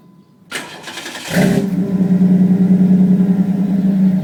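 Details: Engine with Flowmaster exhaust after an exhaust leak fix: the starter cranks briefly, then the engine catches and settles into a smooth deep idle with no ticking or exhaust puffing; normal idle.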